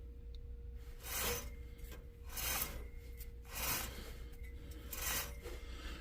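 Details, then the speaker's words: Truck wheel bearing removed and turned by hand: gritty rasping bursts about once a second, binding then turning. Rough bearing; both wheel bearings on the truck were bad. "yep definitely two for two both wheel bearings on my truck but that's life sometimes"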